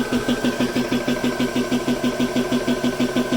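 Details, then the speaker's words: GX CS3 4500 psi high-pressure air compressor, owned since November 2020, started to fill a PCP air rifle: even pumping beat about three strokes a second over a steady motor whine; pressure rises quickly. "You can see it's coming up to pressure. Comes up pretty fast. It'll slow down once it catches up with where the gun is at."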